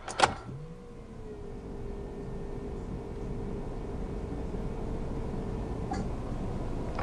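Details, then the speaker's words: Fiat Punto 1.3 Multijet diesel after oil and four-filter service: ignition cycled 4–5 times, electric lift pump hums about five seconds then stops, faint gurgling as air escapes the new fuel filter; priming until gurgling stops, then start. "Donc ouais, vous mettez 4-5 fois le contact, vous allez entendre les glou-glou de l'air qui s'échappe du filtre. Et une fois que vous n'entendez plus ces glou-glou, vou"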